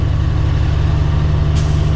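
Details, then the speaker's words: Truck diesel at idle during static brake check, throttle raised to build air to about 120 psi: steady low idle, then a sharp sustained hiss as the air dryer purges at governor cut-out; normal. "Now, you're going to give it a little throttle, build it up till you get to 120. You're going to hear psh."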